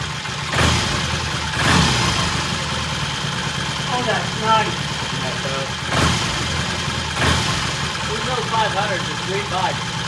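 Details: 1968 T100 vintage British twin with a new battery, after throttle cable slack adjustment: slow, steady, even tick-over with no misfire, hunting or knock under a few nearby clunks. Timing exactly on, mixture good. Normal idle.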